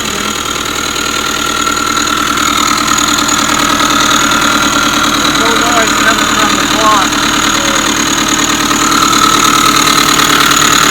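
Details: 2005 Subaru Forester 2.5 SOHC boxer, about 100,000 miles, at idle: steady high-pitched whine over even idle from inside the timing belt cover; failing timing belt tensioner or idler pulley bearing, belt previously replaced incorrectly.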